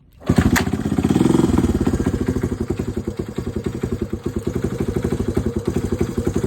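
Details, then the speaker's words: Honda CT90 Trail 90 after an air leak found with starting fluid and a paper gasket fitted: single cylinder settles into an even thumping idle after a brief rev, running smoother. "Alright, so I got the paper gasket put in there. and she already runs better."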